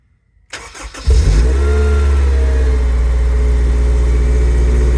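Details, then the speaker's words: Honda S2000 parked unstarted over 6 years, after fresh fuel and service: brief crank, catches first try and settles into a steady even idle with no misses or chain rattle; normal start and idle. "I'm so ecstatic, man. It sounds so good as well. I know they suffer from chains and stuff, but that sounds so so sweet."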